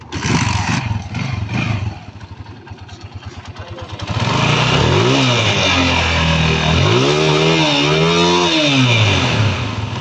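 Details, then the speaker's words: A noisy Honda TMX155 single-cylinder motorcycle that leaks oil and can't run properly revs with a rough, clattery mechanical rattle. It is diagnosed as timing gear noise plus a worn clutch damper. "So alam na natin pambansang issue timing gear ta sliding sliding class na din daw po"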